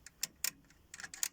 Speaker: I'll hear it there hear that relay clicking in there like that I'll hear it switching there but not there because it's probably connected with format 41.